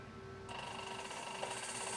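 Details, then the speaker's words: Asong AS235 milling table power feed after replacing reset switch: motor starts after half a second into a smooth, steady whirr with even hum, no grinding or rattle; running normally. "motors working so that works okay"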